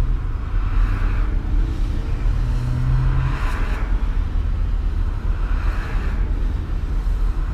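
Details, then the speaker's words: RV after a new fuel pressure regulator and O2 sensor, idling smoothly at about 800 rpm with the earlier slight exhaust leak no longer heard: a deep, steady rumble pulling away under throttle with no hesitation; normal acceleration. "now boy no hesitation at all when you get pushed down on the thr"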